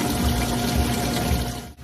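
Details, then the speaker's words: Champion commercial dishwasher powered off to drain: rinse pump running through a diverter valve to drain the tank; steady motor hum under rushing, gurgling water, then cavitation as the tank empties; normal drain cycle. "So again, this is the same rinse pump that fills the machine. It's just going through a diverter valve. So instead of filling back into the tank, it's allowing it to drain out and it will continue."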